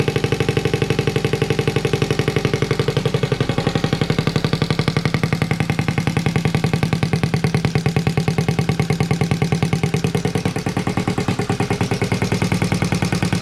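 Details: Honda Z50A Monkey bike finally started with a CR70 stator and original flywheel, warming up with the manifold off the silencer: small single thumps at a steady, fast pulse with a loud raw open-pipe bark, running even and healthy.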